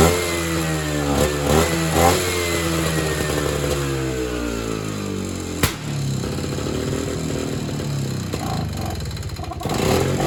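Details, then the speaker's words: Evinrude Bobcat 25hp two-stroke snowmobile, sat 20+ years; uneven revving surges and sags with stumbling, irregular firing; fuel drains back to the tank, owner suspects the carburetor isn't working. "It is draining back to fuel, but that also could be because the carburetor is not doing its job."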